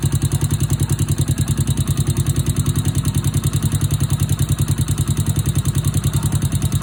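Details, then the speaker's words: Honda Wave 100/C70/Wave 125-type single-cylinder motorcycle idling after new cylinder, piston, rings, timing chain, tensioner, guides and oil pump gear: rapid even ticking about 207 per minute over idle, valve tapping from loose valve clearance needing adjustment. "Hโอเคเสียงที่ได้ยินแต๊กๆๆๆๆเป็นเสียงของวาล์วนะครับ"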